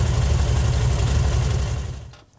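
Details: 1968 VW Fastback with dual carbs, at idle after both carbs were synced with a tool (each reading seven): low, even idle with a steady beat, no hunting or misses before it dies away; carbs balanced and idling smoothly.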